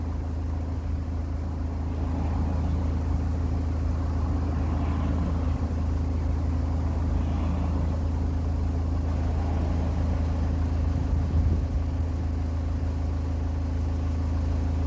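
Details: Ford C-Max 2.0 TDCi diesel after replacing the failed smart-charging alternator; steady low idle with even rumble, no rattle or whine from the front of the engine; sounds healthy, though fault codes remain for the front doors.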